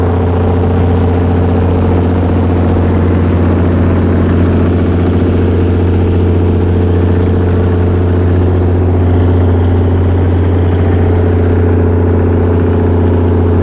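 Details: Perkins 6.354 inline-six diesel driving a 45 kW Lima generator (Empire gen set), under load: deep steady drone with a slight irregular pulse, running rough and shuddering rather than smooth and even; cause suspected, not confirmed.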